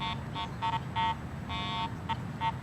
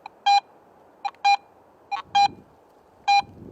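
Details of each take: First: Garrett AT Pro metal detector, ground balanced for neutral soil, swept over a highly mineralized dirt pit in test lanes: repeated irregular warbling tone bursts as the coil sweeps, picking up the soil because the ground balance does not match. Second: Garrett AT Pro metal detector, silver coin target in Pro mode: crisp, high, evenly spaced beeps about once a second over a quiet background, with proportional audio louder at shallow depth; a normal target response.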